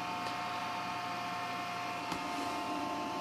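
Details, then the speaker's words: Old AMD desktop PC powering on before a Windows 7 install: steady, even whir of fans with a constant high drive whine and light hum, no knocks or clicks; a normal, healthy boot noise. "so let's hit that power button don't worry about that noise it's completely normal there it is booting up it's found the hard disk you can see ID hard disk don't worry about the noise it's"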